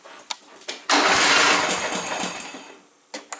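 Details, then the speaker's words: John Deere Sabre lawn mower, choke on, hard starting persisting after valve lash adjustment: brief cranking burst sputters and fades without catching; owner suspects fuel flow and plans shortening the fuel line, else carburetor bowl work. "There's one problem in that it just starts really hard."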